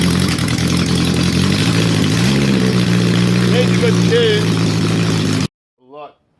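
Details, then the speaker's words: Honda CB750 four-cylinder under restoration, running on all cylinders without exhaust or airbox, getting hot: revs lift and hang high, slow to drop back to idle; owner suspects a vacuum leak, untuned. "Sounds like it's got a vacuum leak there, so it's sort of taking a long time to come down"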